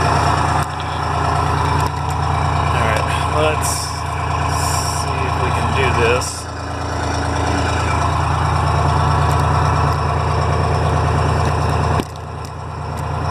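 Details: Detroit Diesel fire truck idling after charging wire fix, now charging at 13.09 V; steady low diesel rumble with smooth firing beat, no knocks or misses; normal idle.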